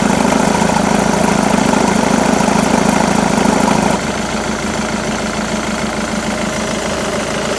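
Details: Jaguar X-Type 2.2 diesel (QJBA, 155 hp, 2005–2010) idling with A/C on: steady rhythmic knock about three per second, note drops and changes partway; A/C-related engine noise suspected, not confirmed.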